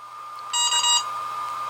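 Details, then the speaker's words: HobbyMate D6 Lite dual battery charger navigating into settings; short bright electronic beeps, a burst of three over a faint steady tone. The menu button beep is very loud and can be turned off in the settings. "the first thing i'm going to do is go into settings because i don't know if you can hear how loud that beep is"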